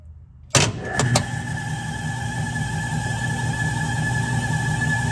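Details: 1967 Logan model 1875 lathe on a Phase-a-matic static single-to-three-phase converter at 240 V, restarted to watch the converter's red indicator light. Motor clicks on and comes straight up to speed, then holds a steady hum with a clean high whine and no knocks. Normal running.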